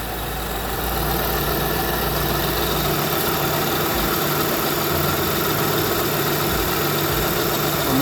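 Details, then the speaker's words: Lexus ES330 idling after power steering and alternator belt replacement: steady, even idle with smooth low hum, no belt squeal or chirp; harmonic balancer moving fine, everything working normally. "Harmonic balance is moving fine. It's been working. Cool."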